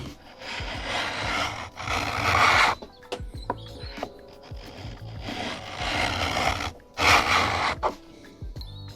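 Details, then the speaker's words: Cheap Temu mini hand plane on harder wood after reducing the blade depth: smooth, even shaving strokes without tearing chatter. It now cuts cleanly with a much better finish. "Oh, that's a lot better. That's the shaving that came off. So, that's pretty good."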